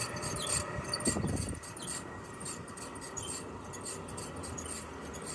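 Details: Chiltrix CX30 heat pump outdoor unit, about 7 years old, first noise ever: a loud, scratchy, rubbing squeak repeats unevenly from the blower cooling fan area over the fan noise, with faint music behind.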